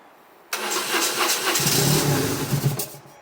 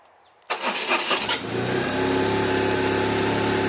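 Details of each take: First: 1997 BMW R1100RT no-start that ran 30 seconds last week then shut off, fuel gauge reading nothing: catches on sprayed carb or brake cleaner, runs a couple of seconds, then dies; likely fuel delivery fault, fuel pump suspected. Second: 1997 BMW R1100RT that had died after 30 seconds of running and then would not start, recorded with the fuel gauge and fuel pump working again: brief crank, catches, and settles into a smooth, even, steady idle that sounds healthy.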